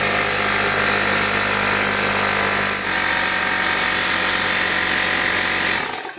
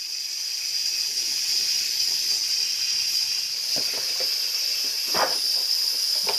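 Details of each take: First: Old Craftsman (Porter Cable) air compressor after air-leak repair, tested before final assembly: steady, even high-pitched pump whir, no hiss or knock, cutting off cleanly at end; running normally. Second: Craftsman pancake air compressor, about 17 years old, housing split open and running: steady sharp hiss of escaping air under the pump; leak found at the rear cover of the compressor head, whose four bolts are then removed.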